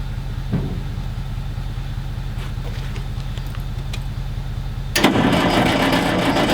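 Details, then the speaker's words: Galion T500 motor grader diesel, sitting unused since 2007 (about 14 years), cranks steadily on ether after a connection was tightened, with a sudden loud rush as if about to fire, but never starts; a hydraulic line blew once pressure built, water found. "Well, it actually sounded like it was about to fire off right there."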